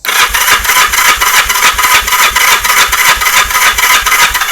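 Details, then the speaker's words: 1978 Yamaha XS11, cylinder 1 compression test with igniter unplugged and no spark: even starter cranking about 3.5 beats a second, strong pulses, about 170 psi; normal cranking compression; plugs look oil-fouled. "Not bad there, folks. Let's see. That's about 170 on number 1."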